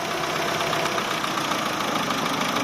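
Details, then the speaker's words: Chevrolet Aveo, check-engine light on since owner recharged A/C refrigerant; at idle, holding shut the cracked hose from the EGR back to the throttle body steadies the idle, releasing it makes revs swing: vacuum leak at that cracked intake hose. "เราก็เจอแล้วนะครับสาเหตุก็คือท่อตรงตรงนี้แหละครับตรงที่มันออกจากตัวEGRวิ่งบนเข้าไปใช้ใหม่เข้าไปที่ปีกผีเสื้ออีกครั้ง"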